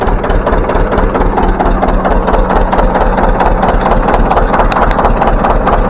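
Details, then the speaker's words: John Deere 720 two-cylinder diesel started by its four-cylinder pony motor, after pony starter repair, new ignition coils and fuel leak repairs: slow, steady thump about two beats a second, even with no misses; normal running. "we're going to fire it up for you and show you how she runs now with them that pony motor hitting on all four cylinders"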